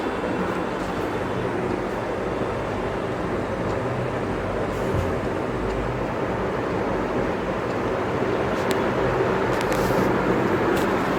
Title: Humming noise Vision Super fan. 🔊🔊 (Sorry for not cleaning this fan🥲🥲)